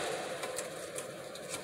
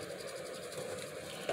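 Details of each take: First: ReVent condensation-sensing bathroom exhaust fan, wired to a cord for a bench demonstration, running with its backdraft flapper still held by shipping tape: soft steady hum with irregular light ticks and flutter as the taped flapper rattles. Removing the tape quiets it. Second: ReVent condensation-sensing bathroom exhaust fan, running normally: faint even hiss with a slight high whir, no rattle or hum. Quiet yet strong enough to stand a plastic bag upright.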